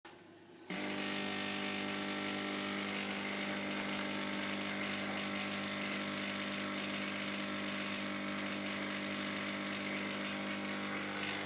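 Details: Hotpoint Ultima WDD960 washer-dryer suddenly running with a harsh, droning mechanical roar and rough whirring edge, far louder than normal; owner unsure of the cause.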